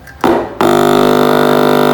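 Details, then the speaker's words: Speaker tested without an amplifier, fed mains power directly through a series connection: a harsh rattling buzz instead of a smooth low drone, showing a rubbing voice coil. "Nah, ini goser ini, Bos. Goser enggak krok krok. Kalau enggak goser enggak bunyi gini."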